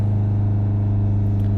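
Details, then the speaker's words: Nissan Juke 1.5 dCi diesel with a badly blocked DPF (P0471) and a blocked pressure-sensor pipe, on a forced service regeneration at operating temperature: a steady, deep drone with revs held raised and even, no dips or misses. "that will hold the revs up. Now we've got it up to temperature, and then what it will do is it will show us on the live data what the temperatures are, and it will do the regeneration for us."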